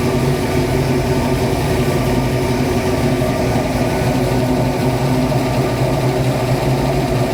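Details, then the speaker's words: 1966 Mustang Fastback, new 347 stroker V8 just after first start; steady, quick idle that stays up and never settles, owner says carb idle screws need adjusting; high idle from unadjusted idle screws. "I guess I gotta I gotta adjust the the throttle or the uh the idle screws to make that so that aisles where I want but uh it's a good sign"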